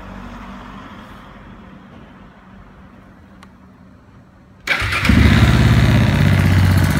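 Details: KTM 690 Enduro R single after repair of an engine abnormal noise: quiet, then it starts cleanly and settles into an even, steady thump with no ticking; normal idle.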